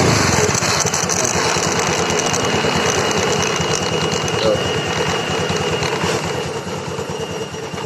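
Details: Honda Scoopy FI scooter with a rough noise suspected in the CVT, heard when releasing the throttle. Rhythmic scraping pulse about three times a second, fading as the wheel slows; a lodged stick of wood was rubbing the rear wheel.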